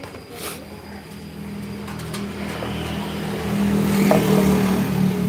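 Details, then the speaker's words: Scooter, worn CVT case bearing: faint light ticking, roughly four a second, as revs climb when pulling away slowly; ticks when riding slowly and on throttle off-on, not at higher speed. "Nah, lahar yang kalau lahar ini bermasalah, itu bunyinya gitu. Jadi dia bunyi kalau kamu jalan pelan, RPM angkatan ya."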